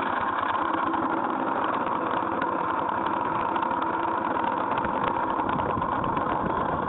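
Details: GY6 scooter engine idles with a steady buzz and a rough, rattly edge over it; abnormal engine noise, source not identified.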